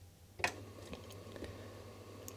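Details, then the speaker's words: Commodore 1540 floppy drive powered on with Commodore machine: low steady motor hum with faint ticks never stops; disk keeps spinning, red LED stays on, drive fails to initialise; cause not yet found. "you see it turns on and then it should initialize and then the red led should turn off but it never does and i can hear that the drive is spinning and doesn't stop"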